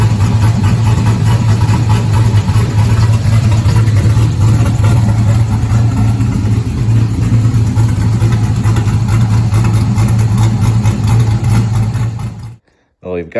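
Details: 1971 Chevelle body on stock car chassis, 5.3 LS swap with Holley Terminator, Sloppy cam, LS7 lifters, PAC 1219 springs, headers, first start in 30 years: smooth even V8 idle, deep steady rumble, no ticks or knocks, until cut off. Normal idle.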